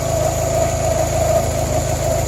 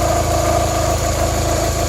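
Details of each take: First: 1993-97 Toyota Corolla/Geo Prizm idling after radiator replacement and coolant bleeding: smooth even idle, steady low rumble, no misses, knocks or rattles; settled and running normally. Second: 1993-97 Toyota Corolla/Geo Prizm at idle after radiator replacement while bleeding coolant: steady idle with thin constant whine over the hum; sounded awful, owner suspects water pump.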